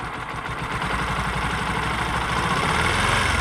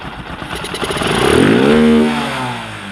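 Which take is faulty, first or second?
first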